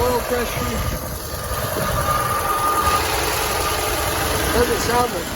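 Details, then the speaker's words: 1964 Chevrolet C20 long bed that sat 19 years, first start with carburetor filled from a temporary fuel pump (possibly flooded, float suspected stuck): lumpy, tractor-like uneven idle yet 40 psi oil pressure; smokes, rough idle, cause unconfirmed. "best sounds like a tractor but it's actually got really good oil pressure 40 pounds oil pressure for 30 pounds"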